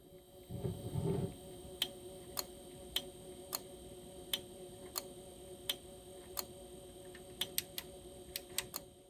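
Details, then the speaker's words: Sony TC-FX5C cassette deck after replacing record/play and Dolby board relays (Omron G5V-2) to fix right channel dropout: crisp single clicks at irregular spacing as relays switch when toggling Dolby B and C, working properly. "WB is on and we should hear a click when we engage Dolby C and yes you can hear the relays activating and deactivating"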